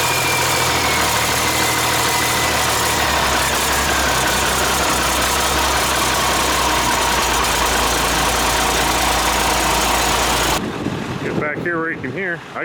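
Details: International 7100 dump truck, DT466 diesel, first start after in-frame overhaul (new head, liners, pistons, rod and main bearings, radiator): steady, even diesel idle with regular light clatter and no knocking before shutdown; healthy engine.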